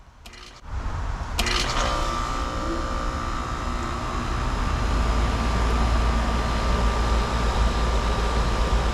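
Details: Outdoor AC condenser restarted from the thermostat after replacing a bad run capacitor and the outdoor fan motor: a click, then the unit kicks on into a steady low hum with faint fan whine, smooth and even; working normally.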